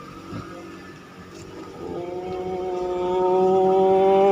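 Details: Toyota Caldina 1AZ, no start for 5 months, after replacing the blown 20A EFI fuse: it catches after a few seconds and settles into a clean, steady tone that rises evenly with revs, with no misses or knocks. It now runs normally.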